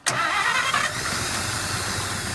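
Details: 1951 Pontiac Chieftain factory straight six, first start in 25 to 30 years after its points were filed and gas was added: a quick crank, then it catches at once and settles to a steady, even idle with no misses; normal start and idle.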